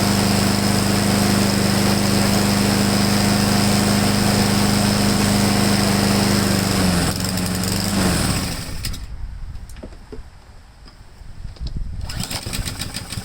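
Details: Husqvarna mower after cleaning a clogged main jet and fresh gas with Seafoam, previously hunting and surging: small engine buzzes at a steady, even speed without misses or surging, then shuts off; normal running.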